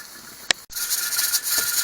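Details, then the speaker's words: Pressure canner with ground beef pints holding 10 lb, heat turned down so the weight doesn't jiggle too much: a steady steam hiss with the regulator weight rocking normally during the 75-minute process. "So if it's jiggling too much, you just lower the temperature a little bit. And it's staying at 10 pounds per pressure."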